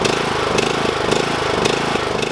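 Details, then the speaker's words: Briggs and Stratton lawn mower engine with Nikki carburetor, surging (hunting) unevenly about twice a second due to a dirty carburetor; fixed by cleaning the carburetor. "the boys said it ran last year but it kind of ran kind of rough it has surging problems if your sounds like this"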